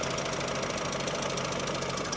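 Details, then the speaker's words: $1200 ex-Domino's pizza car at idle; quick light evenly paced ticking over steady idle, seemingly from the top end, not accessory; owner suspects timing chain or tensioners or needs oil change, unconfirmed; not severe. "Could be timing chain. Maybe timing chain tensioners."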